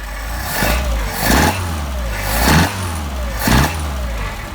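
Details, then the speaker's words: Engine on Solex 44PHH carburetors after idle mixture adjustment, throttle linkage reconnected: three quick blips rise sharply and fall back to idle with no hesitation, pop or backfire. A backfire would mean lean; the mixture is right. "Okay, nice response."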